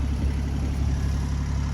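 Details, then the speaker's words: Boat diesel engine that had never failed to start before, now running after the owner's own repair; a deep, steady diesel clatter at an even idle with no misses or stumbles; normal idle. "So anyway, the engine's running."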